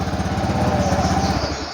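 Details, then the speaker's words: Honda Vario FI scooter after replacing faulty CKP sensor and resetting with diagnostic tool, started after fuel pump hum ended: engine idles with quick even putter, no misses or knocks. "Oke, ini motor sudah bisa hidup."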